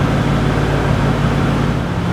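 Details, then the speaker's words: 1988 Centurion Bronco V8 without headers, about 12–20 minutes into a break-in run after a cam, lifter and timing set replacement, at about 2000 rpm: a deep, even burble with no ticks or misfires; normal exhaust note. "and that exhaust sounds good can't imag how much better it's sound with some headers"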